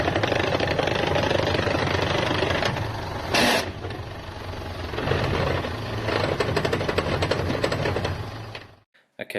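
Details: Ford Ranger at idle in neutral after a new clutch was fitted: loud, uneven rattling knock in the gearbox caused by a faulty clutch plate; noise goes away with the clutch pedal fully down.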